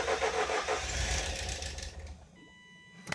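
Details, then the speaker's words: 1988 Ford Escort, refurbished Bosch K-Jetronic metering head refitted after long lay-up: engine catches, runs about two seconds, fades and dies, single click. Fires then stalls; suspected not enough fuel yet, unconfirmed. ">> Was that you or the car? >> That was the car. >> [sighs and gasps] >> Okay, it might just be that it doesn't have enough fuel there."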